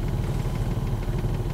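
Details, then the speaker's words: High-mileage 2006 first-gen Honda Pilot work vehicle towing a trailer daily, faulty ignition system: idle misfiring badly with uneven lumpy pulse, engine shaking heavily on worn-out motor mounts. "Because of the misfire, it's making the engine kind of shake, but the motor mounts are just shot."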